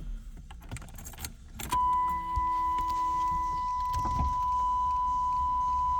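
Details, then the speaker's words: 1991 'Bird' with 60,000 original miles, power window: smooth, steady motor hum holding an even pitch for about four seconds as the glass travels, with no binding or grinding; works up and down on both sides. "Up and down, no problem. Both sides. Power window, power antenna."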